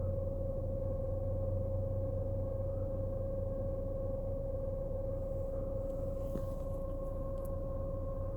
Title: BMW Z4 E89 Rear Humming Noise